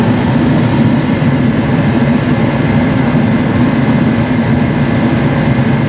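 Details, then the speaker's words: Forced-air diesel/kerosene heater after air/fuel pump repair, pressure at 12 psi, unit left out about two years and fuel suspected of holding water: steady even roar of fan and burner, no sputter or surging; running normally. "you'll see and it may spit and sputter like I say I think this fuel's got water in it but uh it does seem to be working so I'll turn it on there"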